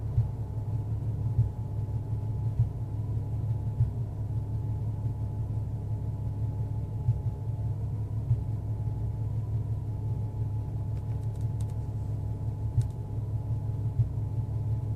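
Low rumbling idle with an uneven, lumpy pulse about once a second; the engine is idling roughly, cause unknown.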